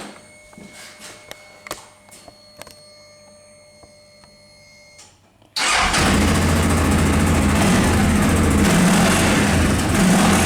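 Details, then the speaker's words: Car after fixing a rattling exhaust heat shield: a few clicks, then the engine fires and settles into an even, steady idle with no rattle or buzz; heat-shield noise gone, normal idle. "It's very good, there is no more that noise."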